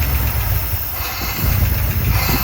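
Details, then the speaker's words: 1972 Dodge W200 Power Wagon revival after years sitting, running on hand-poured fuel with old gas and possibly plugged muffler: low lumpy rumble surging and sagging unevenly; engine flooded from too much fuel dumped in, fuel pump confirmed pumping. "Ooh, I flooded it out there, but hold on. Can you run the throttle? Well, I just dumped way too much."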